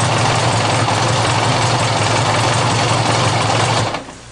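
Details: GL1100 cold start with no choke: rough, clattery idle with a busy mechanical rattle over a low drone until it cuts out; noisy, cause unclear.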